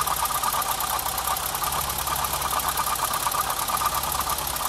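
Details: BMW 325i E30 at warm idle, probed with a stethoscope on the crankcase and alternator: light, slightly uneven tick about three times a second from the front of the engine; owner suspects water pump or alternator; cause unconfirmed.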